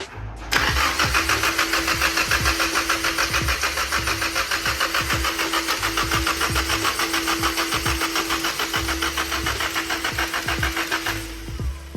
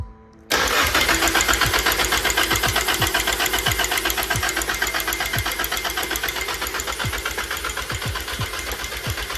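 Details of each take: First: Nissan 240SX S13 with a swapped-in JDM SR20 engine, cranking after the oil pan was flattened and refilled to fix a no-oil-pressure problem: even starter churning about 3.5 beats per second with a steady whine; oil pressure built almost instantly. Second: Nissan SR20DET JDM Silvia engine swapped into 240SX S13, cranking with valve cover off and gauge at zero oil pressure: steady cranking with sharp metallic slap each turn; timing chain slapping guide, no oil pressure to tensioner.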